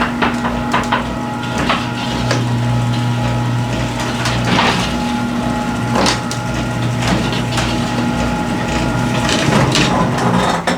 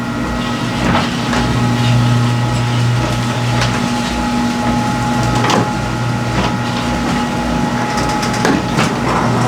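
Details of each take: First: Garage door travelling under opener before installing new hinges: steady opener motor hum with irregular sharp clacks and knocks rattling through; baseline recording before the hinge replacement, rattle cause not confirmed. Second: Garage door after all six old hinges were replaced with a Green Hinge system: the opener drones evenly with only light, spaced roller ticks and no rattles or squeaks, a smooth, quiet, normal operation.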